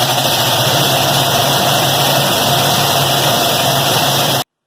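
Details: Payne/Bryant furnace PG9MAA060120AFKA blower before any repair: loud steady rushing roar with a low hum underneath, far noisier than a healthy blower; cause not pinned down.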